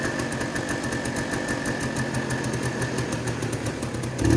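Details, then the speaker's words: Two-stroke started with ether after sitting, choke position uncertain: it crackles along at a fast, slightly uneven beat with some clatter and a final blip, running but not cleanly, cause unconfirmed. Rough running. "Sweet. It actually ran okay. I wouldn't say good."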